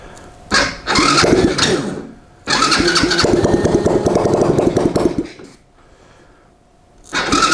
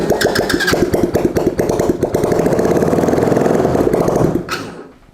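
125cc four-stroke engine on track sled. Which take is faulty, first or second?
second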